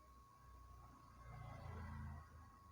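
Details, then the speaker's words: Microtek 850VA inverter after board repair (previously showed battery-low and excessive vibration/hum) runs with a low, steady hum and thin constant high tone, no rattle or buzzing; normal inverter hum after repair. "देखिए पूरी तरह से दोस्तों हमारा जो है inverter बिल्कुल एकदम से ओके हो चुका है।"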